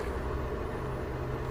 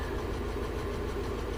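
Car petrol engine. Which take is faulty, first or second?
second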